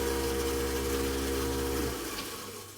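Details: InSinkErator garbage disposal under the sink, tested with water after a rebuild that freed a stuck bag: steady low motor hum with swirling water runs smoothly for two seconds, then spins down cleanly. It is running normally.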